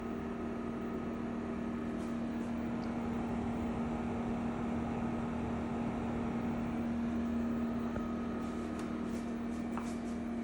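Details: EcoFlow WAVE portable air conditioner while cooling makes an unpleasant, loud, steady low hum and droning tone like a car engine: abnormal operating noise.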